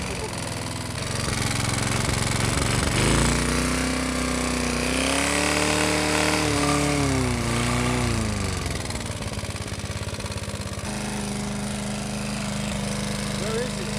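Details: Briggs & Stratton small single-cylinder engine revving up and down: a heavy steady knock following the revs, rod knock.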